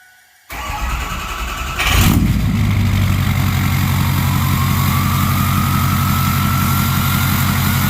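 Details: Ford 6.0 Powerstroke diesel after swapping the stock turbo for a stage 1.5 63.5 mm 10-blade turbo, once the harness plug was reseated: cranks and catches into a deep steady idle, then a clear whistle climbs and holds. A healthy, freely spinning turbo.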